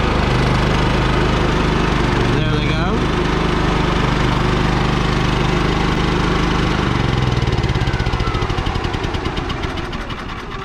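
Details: Champion 3500 portable generator installed in a 1990 Fleetwood Bounder motorhome, with 12-volt cooling fans that run only while it runs: steady engine drone with even firing and fan whoosh, easing lower near the end; normal running.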